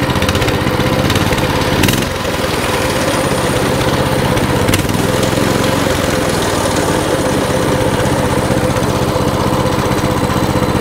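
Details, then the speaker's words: Coleman CT200 mini bike, small single-cylinder engine with non-adjustable carburetor, after idle adjustment to 1750 rpm; steady, even idle with no hunting or surging, idle speed correct. "there you go that is how you adjust the idle"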